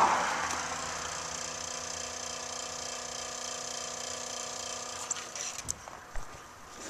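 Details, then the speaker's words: Cummins diesel truck, fuel system primed after fuel filter change (old filter leaked from defective gasket and loose cap): key on, starter bumped, electric lift pump gives a steady faint hum for about five seconds then stops, priming normally. "might be able to hear that that's the fuel pump running hey you can hear it running"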